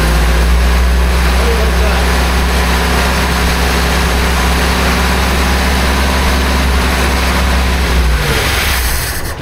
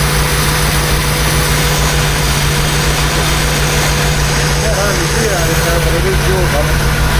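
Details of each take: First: 1976 BMW 2002 carbureted engine during restoration, vacuum lines plugged off, little fuel in the float bowl: steady cranking for about eight seconds without catching; cranks but no start, fuel possibly not yet reaching the carburetor. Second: Restored 1976 BMW 2002 carbureted engine, first run just after starting, warming up: smooth, even, quiet idle with steady low hum, no knocks or misses; healthy engine.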